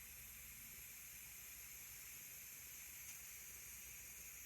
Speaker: And then down here it's still thinking, so it's still not up to pressure yet. That steam is getting stronger.